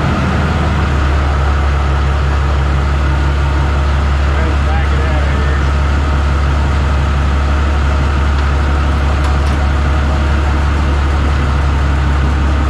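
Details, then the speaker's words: New Holland TB120 tractor diesel, just started after the fuel injection pump was retimed to 29 degrees: catches within a second and settles into a steady, even idle clatter with no misses or knocks; running normally. "well there you have it sounds good"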